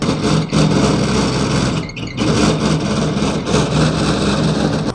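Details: Hatari HT-AC10R1 small evaporative air cooler: loud rushing fan roar with an uneven hum that surges and dips, noisy at all speeds; the blower hub slips on the motor shaft instead of locking to it.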